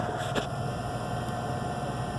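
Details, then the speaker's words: Gas package unit furnace on no-heat call, pressure switch not closing: inducer motor hums steadily with faint high whine and no airflow, shaft spinning with its wheel broken off. "But she is turning right now. So we are just turning without a wheel. So we're not moving any air."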